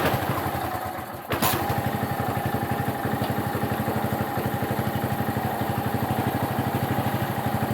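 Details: Qualcast mower with Tecumseh engine, warm engine but fresh cold oil, no choke: catches after a brief crank and settles into a steady, even putter around four beats a second, running normally.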